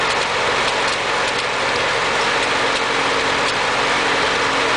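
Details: Ford 8N tractor at idle: steady idle with an occasional uneven stumble about every second; engine skipping/misfiring, owner unsure whether carburetor or distributor is the cause.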